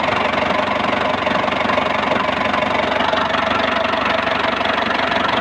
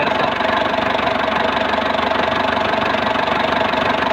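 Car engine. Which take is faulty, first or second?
first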